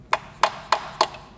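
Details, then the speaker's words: VW Golf R MK7 engine with 246,000 miles, removed from car as blown: four sharp evenly spaced knocks as the engine is rotated over; rod knock, seemingly three cylinders with damaged, spun rod bearings. "that's why I told you that noise when we spinning the engine over is not supposed to make any noise seems like we have three cylinders with Rod"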